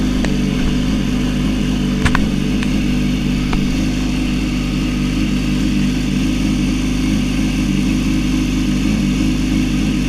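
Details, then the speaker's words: Yamaha R6 (2006–16) after left-side crash, fallen-off starter idle gear refitted with new stator cover gasket: starts with no starter clatter or grinding, steady even idle; normal. "All right. After all that, your R six should sound like normal whenever you start it."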